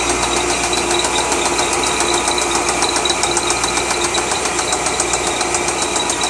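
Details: 2003 Corvette Z06, LS6 V8: sharp metallic ticking knock, close to four per second, over a steady V8 idle; engine knock from inside the engine.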